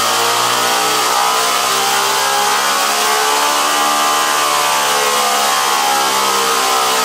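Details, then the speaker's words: General International 2x42 belt grinder converted to a salvaged 2 hp DC treadmill motor with variable-speed controller and cooling fan, after original motor's start winding and capacitor failed; smooth even motor hum slides up and down as speed changes, no knocks; normal speed ramp. "it's a small time delay and it'll start at minimum speed then we can raise or lower the speed"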